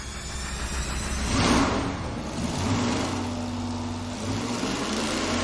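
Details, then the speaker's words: Dodge motorhome 440 big-block V8 on the dyno, first full-throttle pull from 3,500 to 6,500 rpm after a carburetor jetting fix: strong, clean roar sweeping up with no misses or knocks; healthy engine. "Well, we got one full pull under our belt now. We ran it from 35 to 6500. I can tell you that the engine's healthy."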